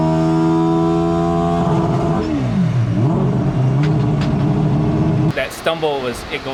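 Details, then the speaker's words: Four-rotor rotary on early no-boost tuning: a high drone sags, surges back, then stutters as the engine stumbles in gear, running rich then slightly lean; the tuner suspects the pedal reading and a hot alternator, unconfirmed. "That's what it was just stumbling right now. I can feel it stumbling in gear."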